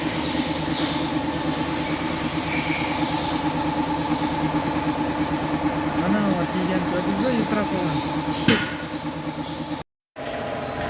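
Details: Hyundai Solaris engine idling with a steady, fairly regular knock of about three per second riding over it; knock from inside, cause unconfirmed.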